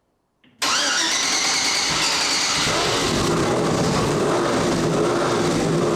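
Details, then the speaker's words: 4-turbo AWD LS-swapped Audi Quattro race car with four wastegates, restarting after gas was spilled: engine catches at once and settles into a strong, even roar with no knocks, misses or rattles; healthy start and run. "so miss that sound awesome that is a night well wait for that smoking to stop"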